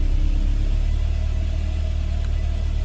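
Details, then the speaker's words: Mercedes 190E W201 with M102 engine, after battery replacement, tested after being left several days: engine catches and settles into deep even rumble with no stumble; normal start, starting fault fixed by new battery. "Pude arrancar el motor normalmente. Parece que simplemente cambiar la batería lo solucionó."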